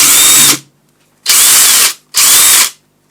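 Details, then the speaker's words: Ryobi One+ brushed impact driver bought as spares/repairs: three short bursts of high buzzy motor whir with rattling hammer, stopping cleanly; works fine. Normal impact driver operation. "now the final one is the brushed impact driver so sounds a lot better than the brush one don't know whether they're supposed to sound different or not but again both of them do their job so"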